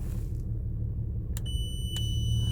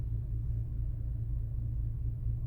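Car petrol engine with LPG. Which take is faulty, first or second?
first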